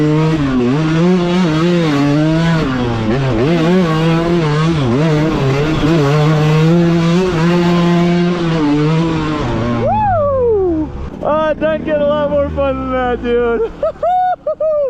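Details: KTM 200 two-stroke with SmartCarb, after swapping to a richer metering rod, during break-in riding: crisp revs climb and drop cleanly through the gears with sharp throttle response and no misfire; sounds healthy.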